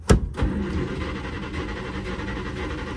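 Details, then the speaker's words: 1948 Studebaker Champion flathead six, revived after decades sitting, 6-volt starter run on 12 volts: starter clunk, engine catches and runs with an uneven loping beat; one cylinder obviously skipping, misfire. "Oh, you can hear that obvious skip now. Nice."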